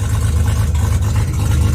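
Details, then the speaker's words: Mazda RX7 12A rotary, first start attempt on a recharged battery: heavy, raw low drone with a rapid, even pulse and almost no muffling, like open headers; little seems to exit the tailpipe, so an exhaust leak or missing silencing is suspected. "Is the exhaust functioning at all? It sounds like open headers. It sounds extremely open."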